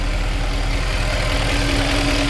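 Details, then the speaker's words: Mercedes W204 C63 AMG, M156 V8, right after replacing the spark plugs; steady even idle with smooth low drone and constant mid hum, no misses or ticks, sounds and smells good, normal idle. "No problem, right guys? Easy peasy. Okay, sounds good, smells good."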